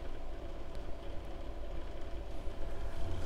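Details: Bedini pulse motor with cap-dump circuit running in generator mode on 16 volts (about 1.5 A): a low droning hum that surges and sags unevenly, no grinding or knocking, normal running, slower than SG mode.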